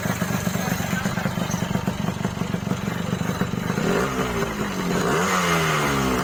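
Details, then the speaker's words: Yamaha RX King two-stroke after repair for heavy smoke (engine oil entering; crankshaft seal replaced, NPP piston fitted): steady crackling idle then clean even revs, no misses or rattles; no longer smoking, smooth. "Dan sekarang alhamdulillah setelah diganti sealnya ini ya, sealnya ini bagian askrop udah nggak lagi berasap ya bro. Jadi walaupun 2 tak ya tetap nggak berasap bro."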